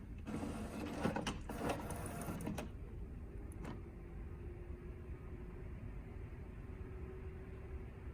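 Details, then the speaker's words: HP OfficeJet Pro 8100 running level 2 printhead cleaning (power held, X twice, paper twice); soft carriage and pump shuffle settling into a quiet steady hum, a normal cleaning cycle. "You can wait the same way. You can hear the same sound. Just wait."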